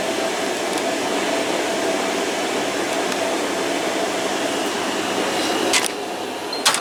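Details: Washer-dryer on its drying test, already warm and heating: a steady, even, airy hum of the drum and fan with no knocks or grinding, so the drying run is normal.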